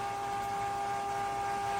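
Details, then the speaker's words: Cuisinart 2-quart frozen yogurt and ice cream maker, about 30 minutes into churning: steady, even whine at constant pitch with no knocks or rattles, then the motor switches off; normal motor running, though the owner finds it noisy. "it's a great product. I just wish it was less noisy. You can actually hear it. So this is what it sounds like when it's going, and that's what it sounds like when it goes off."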